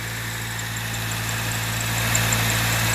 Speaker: like little birds. It's usually a sign of a bad, dry belt.